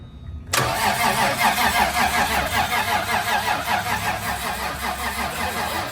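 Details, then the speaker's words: Rat Rod Supra, sat for a couple of months, jump-started: catches at once and settles into a steady, even idle with a smooth exhaust pulse; no knocks or misses, sounds good. "Is it on? There she is. Sounds good."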